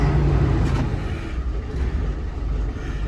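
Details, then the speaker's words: Deep, steady idle rumble with an even beat and no knocks, rattles or whine from a healthy 1989 Volvo B10M Mk2 bus with THD101GC engine and ZF4HP500 four-speed automatic; only the tachometer doesn't work. "and one of the other small jobs is to fix the taco because it doesn't work but everything else does and the bus sounds healthy"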